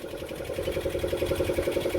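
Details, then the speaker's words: Roughly 40-year-old diesel of unknown make and model in a Snapdragon 24 boat, just got running with shaft turning in forward gear: even, quick diesel chugging with a steady mid-pitched beat, running smoothly. "so just got the engine running got seot working it's good to me"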